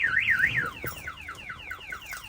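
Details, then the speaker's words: 1970 Pontiac LeMans with a newly installed alarm system (starter kill, flashing lights, door trigger): a loud rising and falling wail switches to a quick repeating descending chirp; the siren works properly. "let go ahead and fire off the alarm so you can hear it"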